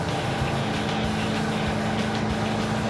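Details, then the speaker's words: 1971 Chrysler Newport 8-door with a 440 V8, on the road after a carburetor change: a steady, even drone with no stumbles. The earlier lean misfire is gone; it is quieter with less smoke but not faster. Smooth running, no misfire. "What? It's better. It's not misfiring."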